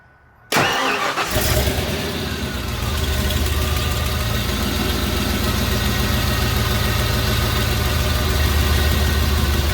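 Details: 1997 Ford F-150 "Big Block Lightning" with a swapped EFI 460 V8, idling with no load on the old fuel pressure regulator (about 37 psi key-on) before an Aeromotive adjustable regulator is fitted; it cranks, catches, and idles steady with a slightly uneven pulse, cause unconfirmed.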